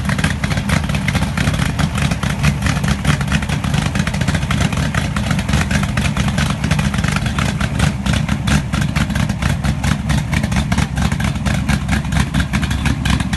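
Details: Pontiac 400 V8 in a T37, first start, rings not yet seated: deep, even idle with steady firing pulses and no tick or knock; normal idle.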